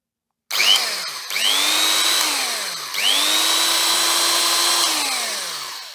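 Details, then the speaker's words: Vintage electric drill that passed the appliance safety test: two clean spin-ups to a steady high whine, then an even wind-down with no grinding or rattling. Normal operation. "that sounds very good all right nice little drill then really just needs a little bit of a cleanup"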